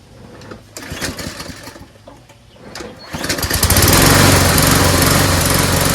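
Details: MTD lawnmower that ran its carburetor bowl dry, now refilled with fresh gas. It fires after a few pulls but runs loud, uneven and strained, and doesn't sound right. Rough running; owner suspects a valve problem.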